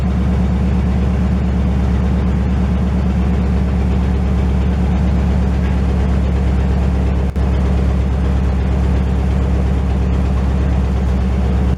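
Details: 1968 GMC truck on its first start in 20 years, warming up: a loud, deep, even V8 idle with no knocks or misses. Running well with only minor leaking.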